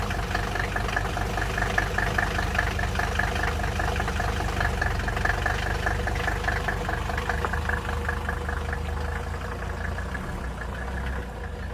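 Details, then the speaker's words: 1983 Mercedes-Benz 300TD W123 OM617 diesel idling with uneven shake and loose lumpy clatter; rough idle and hard cold starting attributed to a stretched timing chain throwing off cam and injection timing. "and you know what with how this thing kind of vibrates at idle and how it's hard cold starting even when it's warm out uh I'm going to say that this is part of our issue"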